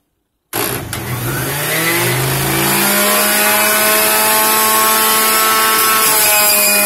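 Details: Juicer running on carrots, apples, celery and spinach, described as loud as a locomotive: motor spins up with a rising whine, then holds a loud steady hum and buzz under load; unusually noisy motor, cause unclear.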